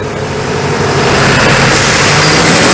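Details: ARIACOM SAX 112 diesel screw air compressor (Cummins 93 kW engine, Atlas Copco screw block, 12 atm working pressure), warmed up then loaded via toggle, at maximum pressure with the engine at 2000 rpm: steady even diesel drone with constant air rush, no knocks or surging; normal loaded running.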